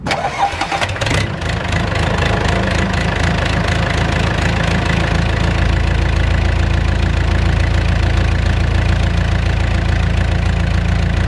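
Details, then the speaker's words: Skid steer diesel idling right after its injectors were pulled and cleaned for rough running, with two injectors only loosely hooked to the fuel lines: loud, fairly even idle with a slight rise and fall in speed. Mild idle surge, cause unconfirmed. "so some of that surging kind of gone away probably the won't know until I come back maybe tomorrow and turn it on seems like it kind of went away nope there it is again it's back I just heard a second ago"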